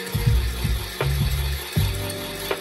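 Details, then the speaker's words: Commodore VIC-20 Super Disk Drive loading a floppy: loud, irregular mechanical clunks and ratcheting thuds in bursts; noisy drive mechanism of unclear cause, owner thinks it may need opening and lubricating. "okay what can you hear the sound it's jeez it's really I don't know I may we need to open it and and lube it a little bit but yeah it makes a lot of sound a lot of noise"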